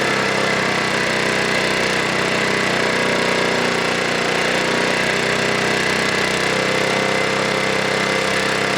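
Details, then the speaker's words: Snowblower small single engine at full throttle, steady high-speed buzz with no surging, while the high idle screw is turned in to check for over-rev, then backed out until the speed drops; high idle adjustment by ear. "okay so what I was doing there was I was turning the screw inward checking for over rev um and then letting it settle back and then I turned it down uh quite a ways like you here and the idle dropped all on its own"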